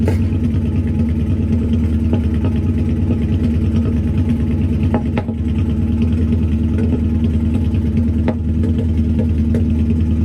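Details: Ford Focus twin-turbo V8 project on first start with a new custom TIG-welded stainless steel exhaust: a lumpy V8 idle with an uneven beat and an occasional stumble breaking the rhythm, a bit of a misfire.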